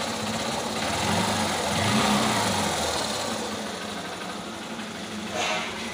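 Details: Old-model Honda Shine single-cylinder bike without self-start, earlier noisy from the engine despite new engine parts, started after the head and rocker were replaced and refitted; light, even ticking idle at a steady pace, partly masked by music; normal idle.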